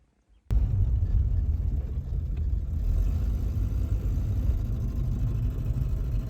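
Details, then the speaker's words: High-mileage Volvo 240 running: low, uneven rumble that surges and sags instead of running smooth; cause was fuel running out, not plugs or cap and rotor; noise gone after refuelling; fuel starvation sputter. "making what is that turns out that is the fuel running out it's not the spark plugs it wasn't the cap and rotor or anything like that"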